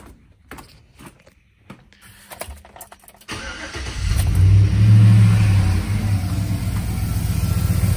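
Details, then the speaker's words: Engine with solid check engine light but no fault codes, watched on live misfire data just after start: catches then settles into a lumpy, labouring idle with uneven loping beat; audible misfire at idle, may not register until operating temperature or closed loop. "so this is one of those scenarios where uh i could hear it misfiring right now i could hear it laboring"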